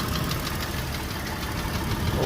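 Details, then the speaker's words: Idling car engine with a clear, steady repeating knock over the low rumble; others claim thicker oil will stop hydraulic lifters knocking, which is doubted. "так Явный тук мотора"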